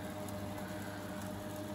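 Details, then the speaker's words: Bosch WFP3300 Hydro Sensor washing machine during hot descaling with dishwasher tabs, heavy limescale: steady high ringing from the drain pump over draining water, pump earlier sounding gritty as if sand or scale inside. "Yeah, you can hear the pump ringing."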